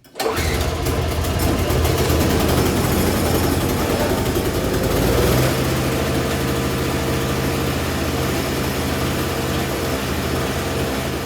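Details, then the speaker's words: 30-year-old Craftsman 4.5 hp snow blower on fresh gas and oil: it starts on the first pull and settles into a steady, even chug with no misses or knocks, engine in decent shape. "As you can see, once I had the key in the on position, it started right up on the first pull, just like my father-in-law promised."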